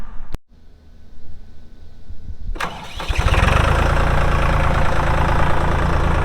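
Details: 2004 AGCO GT45A 4WD tractor, 52 hp diesel, 111 hours, with Quicke Q20 loader: brief starter crank, then the diesel catches and settles into an even, steady idle with no knocks; normal healthy start and idle.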